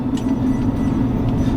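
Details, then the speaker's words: On a test drive, a low, steady 'wooing' drone with a slight wobble over road noise, attributed to thick off-road tires, possibly a wheel bearing. "I'm not sure if you guys could hear it through the video but that wo wooing sound that's her um she got pretty thick off-road tires"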